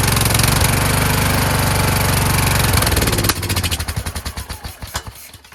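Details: Kohler Courage engine on a tractor, after a cylinder head swap, carburetor replacement and valve lash adjustment, started on choke; it chugs with loping firing, then coughs and dies away in slowing pulses. Owner suspects the throttle bracket and return spring.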